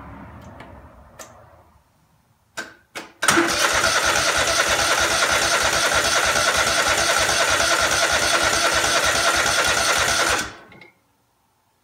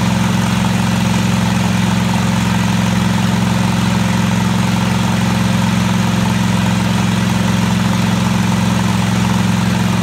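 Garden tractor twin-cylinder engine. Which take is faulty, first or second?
first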